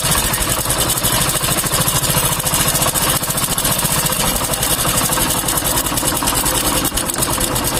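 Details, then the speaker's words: Hero Honda motorcycle engine idling with a fast, dry metallic chhik-chhik chatter from the timing chain, which is new yet still noisy. "आप सुन सकते होंगे ये कैसा छिक छिक छिक की आवाज़ आ रही है। तो यह आवाज़ मैं आपको ये सुना दिया, ये खिच खिच खिच खिच की आवाज़ आ रही है। टाइमिंग चेन नया है लेकिन फिर भी ये आवाज़ आ रहा है।"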